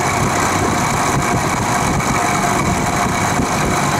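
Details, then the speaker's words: Vintage Penncrest (rebranded Lakewood) 3-speed 20-inch box fan on low, after six years in a shed and bearings drowned in WD-40: steady motor drone quieter but a buzzy rattle persists; no motor side play, blades not loose, cause unknown. "Seems to have quieted down a bit, but the rattle still persists, so I'll start it up on low."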